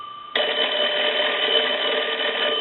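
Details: Kellogg wood wall crank telephone under repair/conversion, rung through the line analyzer: sudden bright, even ring holding about two and a half seconds with no buzz or dropouts; bells ring properly.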